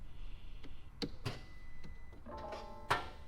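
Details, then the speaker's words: Crash-damaged Porsche 911 GT3 (front-end damage, rear engine): a few sharp isolated clicks from underneath at the back with no cranking; suspected airbag-related crash power fuse cutting starter power. "It's got to be something related to the airbags because the engine is right down the back on these and the damage is all the way at the front. So it's got to have something to do with the airbags."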